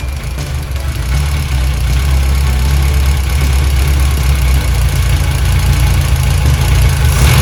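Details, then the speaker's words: VW Golf 1, throttle worked by hand with no cable fitted: the engine catches and settles into a low, fairly steady idle that lumps slightly but keeps running. "Supposed to fire right up."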